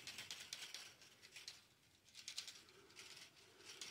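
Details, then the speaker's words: Wharfedale W60C speaker's damaged original woofer, cone pushed by hand: quiet hissy scratching bursts each time it moves; likely voice coil rubbing in the gap, woofer replaced with a quiet, rub-free replacement driver. "hear that that's not good that sounds like the voice coil is that's not good"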